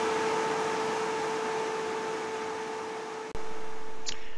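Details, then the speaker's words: Off-grid solar inverter with a 250 F, 16.2 V supercapacitor bank added, starting a motor load with inrush now about 190–200 A: a steady mid-pitched buzz holds as the inverter ramps up, cuts briefly and returns; it carries the surge. "you can hear the buzz when the inverter kicks on and the inverter ramps up its output"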